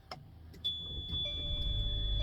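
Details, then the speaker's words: Class C RV just switched on with the stabilizers still down: a high, thin electronic beeping over a quiet idle, warning not to move the RV. "And you hear that beeping because the stabilizers are down. So if the RV is on and the stabilizers are down, you'll hear that beep. That tells you don't move."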